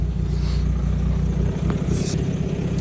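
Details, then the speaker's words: VW Jetta Mk5 2.0 TDI BKD swapped engine, cold start after glow plugs, straight-through exhaust: deep loud uneven rumble with no muffling; owner also hopes an audible noise isn't a turbo issue and notes a squeaky belt. "Yeah, a little bit loud when I start it up, like, 'cause it's obviously got straight through on it."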